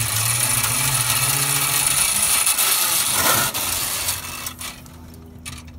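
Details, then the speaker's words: Shower bus water hose being returned to its reel, guided back and forth across it until fully retracted; steady scraping rattle with quick ticking ratchet, about three clicks a second, hose winding evenly, normal hose reel retraction. "Once again, your hose is deployed straight away from the vehicle and allows you to return it back to the reel, moving it back and forth across the"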